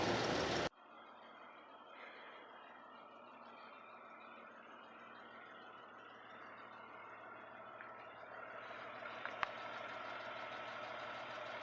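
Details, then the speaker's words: 1999 Jeep Wrangler Sahara 4.0 with 5-speed, idling while warming up after the cracked exhaust manifold was replaced: soft, even hum with no ticking or puffing, exhaust sealed; normal idle. "I think I'm gonna try and record some audio without the microphone I usually use and see if my phone will actually pick up how quiet this thing is or maybe better than the mic"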